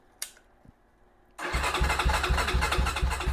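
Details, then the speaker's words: Venom Ghost Chopper 250 motorcycle: steady starter cranking about three beats a second that never catches, with battery voltage, wiring and starter solenoid good; handlebar kill switch in the off position stops it starting. "Don't forget, you have a kill switch up here on the handlebars. And if that kill switch is turned to the off position, then it won't start."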